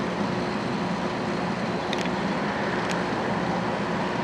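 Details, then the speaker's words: Old window air conditioner in a garage, its original thermostat replaced by a wall-wart transformer and relay, with the compressor running alone and the fan off; a steady, smooth low hum, no knocking, as the coil gets frosty. "it's just a compressor running without the fan it's got a little Frosty here yeah it is getting Frosty"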